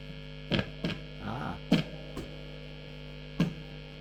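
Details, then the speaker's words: Late-1980s Hiwatt 100R Trinity tube guitar amp: loud steady mains hum fading in and out with the lead pulled, plus knocks and crackles when tapped; dreadful sound with rhythm volume up, bad joints suspected, intermittent faults. "on top of that and pull out the lead I've got this horrendous honey and you can hear it fading in and fading out"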